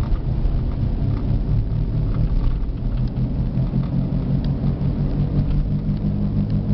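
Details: Old Jeep Liberty driving at about 60 km/h with a loud, steady low growl under road noise from a badly worn right front wheel bearing; grinding felt through the steering wheel, and the sound changes when swerving side to side.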